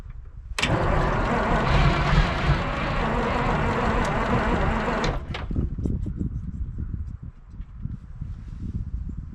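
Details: 1973 Peterbilt 352 cabover, 12V71 Detroit Diesel, sitting since 1986, cranking on 24 volts: steady starter churn for about four seconds that never catches, then cuts out; no more smoke; owner suspects fuel starvation.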